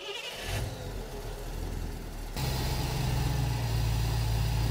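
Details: Engine with Holley Sniper EFI and Holley Dual Sync distributor, ECU controlling timing, static timing set at 15 degrees, first start after reinstalling fuel pump relay: brief crank, catches cleanly, settles into even, smooth idle; normal.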